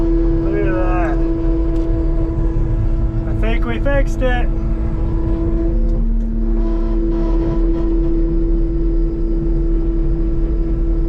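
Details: Cat 259D loader after replacing the left joystick base (code 2476-3, left joystick position sensor above normal, would not go forward): strong steady diesel drone with constant whine, no knocks; running and driving normally.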